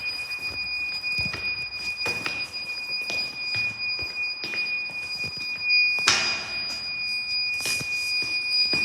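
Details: Weird beeping noise at Westminster School Amman, source unknown; steady high-pitched alarm-type electronic tone over room noise and scattered knocks, recurring.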